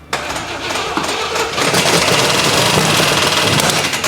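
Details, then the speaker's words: 1980/81 Camaro Z/28 4-speed V8 after the timing was backed off from over-retarded: a quick, ragged rev with uneven popping and no clean pickup; timing is still well off, and the plug wires might be crossed. "Woo! Timing's off like a motherfucker, but that right there is a runner."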